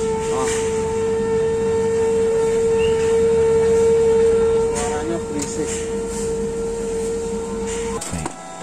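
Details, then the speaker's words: Canon iR-series photocopier (iR 4570/2870/3045 type) making rough loud noise and printing blank white copies: a loud steady drone with a few clicks, first thought to be the laser, traced to the drum unit not rotating. "आगे देखो, यह पता चला है कि यह ध्वनि ड्रम इकाई से आती है जो घूर्णन नहीं कर रही है ,"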